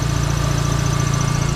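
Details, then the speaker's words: Dodge Neon SRT-4 turbo idling right after a newly installed exhaust manifold, with coolant and oil lines no longer leaking. The idle pulse is even and steady with no ticking or puffing, so there is no exhaust leak from the manifold. "letting it run here for a second um i don't hear any exhaust leak from that manifold"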